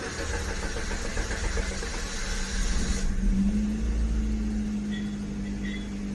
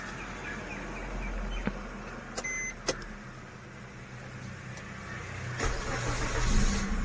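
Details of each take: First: Maruti Swift Dzire petrol (2014–2017 model), cold morning start: starter cranks about three seconds at roughly four beats a second before catching; long cold crank blamed on faulty injectors; starts fine once warm. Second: Maruti Swift Dzire petrol had long cranking on cold morning starts. About three hours after all four fuel injectors were replaced, it is quiet, cranks briefly and catches at once into a steady idle. The hard start is fixed.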